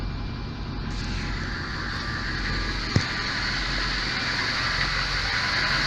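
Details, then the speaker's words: VAZ 21099 engine, cold start: rough, uneven idle with speed drifting and shaking, worse as it warms, power lost; sensors, injectors and air leaks checked; one cylinder misfiring. "Сейчас пришел, холодное. Запускаем. Троит и плавают обороты."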